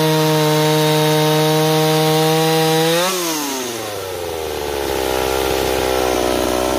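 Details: Warm Stihl 028 chainsaw after new crankshaft seals: steady high buzz suddenly sags at three seconds, then wanders back up unevenly; surging speed, owner suspects an air leak between carburetor and intake boot, not confirmed.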